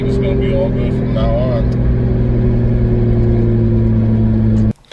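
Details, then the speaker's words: 2003 Nissan 350Z with 2JZ swap, around 55 mph after a misfire fix: steady, even drone with no stumbles or random misses, smooth and clean; no backfiring seen, everything normal and fixed; normal cruise. "the car seems to be doing great everything's normal I didn't see any backfiring so I say we did a good job everything's fixed now"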